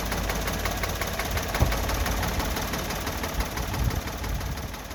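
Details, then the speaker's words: Three-cylinder petrol car with two spark plug wires disconnected, running on one cylinder: heavy uneven chugging idle with regular loud knocks and strong vibration, demonstrating spark plug/coil misfire causing power drop. "അതായത് സിലിണ്ടറിൻ്റെ എണ്ണം കൂടുമ്പോൾ നമ്മുടെ വാഹനത്തിൻ്റെ വൈബ്രേഷനും കുറയും, വാഹനത്തിൻ്റെ സൗണ്ടും കുറയും. എന്നാൽ സിലിണ്ടറിൻ്റെ എണ്ണം കുറയുമ്പോൾ നമ്മുടെ വാഹനത്തിൻ്റെ വൈബ്രേഷൻ കൂടുകയും ചെയ്യും,"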